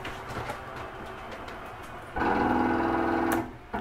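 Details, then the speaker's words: Catalina 323BHDSCK travel trailer, living-room slide run out from the control panel: about a second of steady motor hum with light mechanical clicking as the slide mechanism sets itself, stopping cleanly; normal, nothing breaking or grinding. "noise is okay to hear it's just the slide mechanism setting itself it's okay to hear that for a couple seconds nothing is breaking or grinding off"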